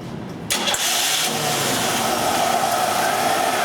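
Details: 1990 Buick Skylark, hot-soak low power until it barely runs; short crank, then a flat, strained idle with a muffled, choked exhaust note, can't hold 3,000 rpm; exhaust backpressure test points to a melted, plugged catalytic converter.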